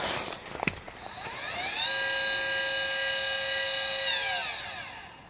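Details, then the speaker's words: CGX telescope mount, unloaded, after a full firmware upgrade of both the hand controller and the mount controller: a smooth high whine ramps up, holds steady, then winds down cleanly with no grinding. Normal slewing; the earlier noise is gone. "as you can hear it this absolutely no sound whatsoever"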